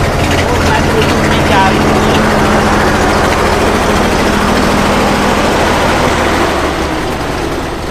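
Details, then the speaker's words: Old six-cylinder engine, about 3000 cc, with electric fuel pump and some choke: steady, even low idle with a smooth unbroken drone and no knocks or misses; idling remarkably smoothly. "Milyen hangja van? Elképesztően finoman jár."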